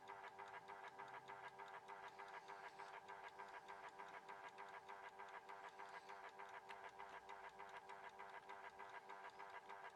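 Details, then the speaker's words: Horstmann VA Mk9 SRS2 rate changer time switch, 240V 50Hz synchronous motor, just plugged in: quiet steady whirr with even tick about three per second, because the 15-day spring reserve was unwound and is winding; normal. "Now then, in amongst all that whirring sound, you can hear a bit of a ticking going on. Okay, that is because the spring reserve in it was unwound when I plugged it in."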